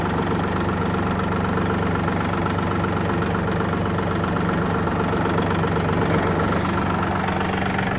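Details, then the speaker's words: Yanmar AF226 26 hp 4WD Japanese mini tractor with reverse, diesel, just started: steady even idle with a low regular throb, no knocks or misses; the engine started very easily and runs smoothly. "давайте же перейдем к самому интересному именно к запуску двигателя запустился прилетели очень легко работает ровно"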